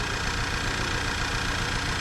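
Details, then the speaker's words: VW EOS 2.0L, hard starting, black smoke, fuel smell: low lumpy idle with skipped pulses; cylinder-disable test shows cylinder 3 dead, misfire at idle. "there we go cylinder one's dead missing or sorry not one three yeah it's not doing poop"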